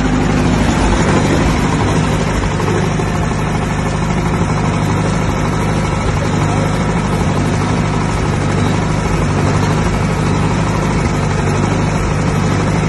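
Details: 1959 Massey Ferguson 85 tractor, first start in five years after new points, cleaned carburetor and new solenoid; deep, steady idle with an unbroken beat, no coughing or stalling.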